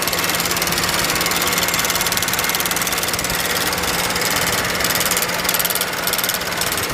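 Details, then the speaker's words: BMW N63 V8 with a drivetrain malfunction warning and an engine internal fault code, recorded close up at idle: uneven, clattery ticking with no steady rhythm, a rough idle and likely misfire; a spark plug later showed heavy black deposits. "So you can hear this engine, it sounds a little bad, the way it moves, the way it sounds."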